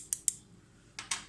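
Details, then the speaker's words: Defy microwave that kept popping its fuse even after capacitor and diode replacement: door interlock switch pressed and released by hand, sharp crisp clicks snapping cleanly; a good switch, normal door switch click. "So basically this is a good switch. You hear that?"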